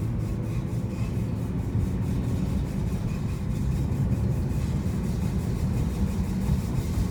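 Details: 2015 Honda Civic Si: loud, steady low rasping grind from the brakes with wheels turning, heard after a brake pad change.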